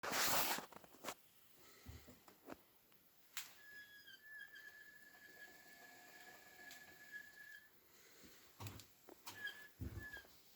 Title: Hotpoint Squeaky Noise Loaded Drum